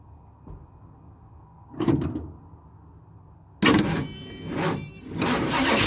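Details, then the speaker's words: 1976 Ford F250 crew cab parked about 17 years, new fuel line, fed from a makeshift gas tank: brief crank, pause, then engine catches and surges unevenly, running only briefly before stalling; owner hopes it just needs to pick up more fuel. "ER she is a runner that's great news that is great didn't run very long but maybe she just needs to pick up a little bit more fuel"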